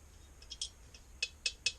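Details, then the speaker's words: Engine stopped at top dead center, rocker arm rocked by hand during valve adjustment: sharp, light clicks about four or five per second. The free play reveals excess valve clearance. "rocker arm is now rocking. You can hear it. You can hear this clearance in there."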